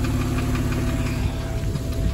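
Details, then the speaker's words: 2002 Porsche 911 996 Targa, M96 flat-six, misfire returned shortly after driving despite new coil packs: rough uneven running with a dull metallic knocking from the bottom of the engine when misfiring; owner feared bore scoring or D-chunking. "i got a couple hundred yards down the road and the misfire was back almost immediately worst of all i was now getting a really unpleasant metallic knocking sound from the bottom of the engine when it was misfiring"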